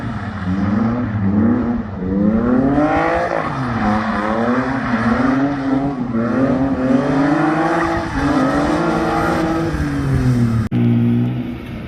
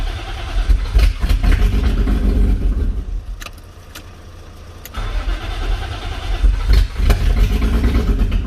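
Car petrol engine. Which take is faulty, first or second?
second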